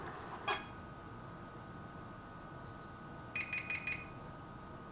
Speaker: the four beeps error is saying that the main brush is not turning normally caused by a lot of dirt